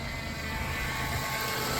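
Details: 2000 Chrysler Grand Voyager, parked 8+ years, 11,451 miles, first start with new pulley: steady high even whine over the idle as the power steering pump draws air, starving for fluid.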